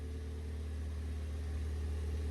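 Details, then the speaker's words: Ford Fiesta ST180 after an in-tank fuel pump replacement, replacing one that had been humming, started with no back box fitted and no engine warning light. It is an even, steady idle, a touch loud from the open exhaust, with no misses or surging, so it is running healthy. "We started. No engine warning light. Let's find out what it sounds like. Seems good to me."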